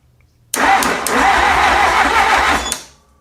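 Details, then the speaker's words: 1957 Willys FC-150 engine cranked through a solenoid-to-ignition lead, with mystery oil in the cylinders: strong, even cranking whir at about three turns a second for two seconds; it turns freely. "So, I've cranked it over a couple times. Everything's turning right."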